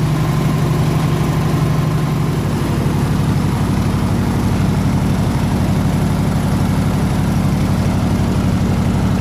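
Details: 302 V8 air-compressor engine, warm at 160 degrees with 9 psi fuel pressure, on re-ended plug wires: steady, even low rumble around four pulses a second with no misses or knocks; normal healthy idle.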